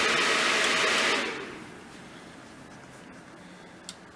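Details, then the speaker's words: GTX 1660 Super mining rig on Asus H570-Plus board: loud full-speed fan rush eases over about a second to quieter steady hiss as motherboard boots and takes over fan control; normal behaviour. "Big difference once the motherboard comes up and It's interesting."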